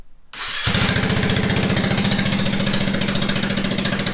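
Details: Honda Ruckus with a GY6 harness and a suspected blown starter fuse, started by jumping the starter directly: quick crank, then it catches and settles into a steady, fast, even putter; normal start and idle.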